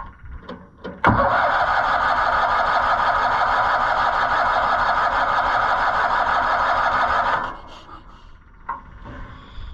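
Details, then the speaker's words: Auction-bought Cushman Truckster, rusty: starter turns the engine over at a steady beat for about six seconds but it never fires; owner suspects no fuel from the pump and possibly incorrect ignition wiring. "Well, until we get a fuel pumping, I don't think we're gonna get it."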